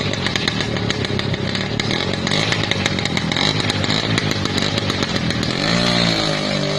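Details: Restored 50-year-old Lambretta scooter, kick-started after a seized-engine repair: high buzzy two-stroke note running steady and even, then rising as the throttle opens; the engine runs cleanly.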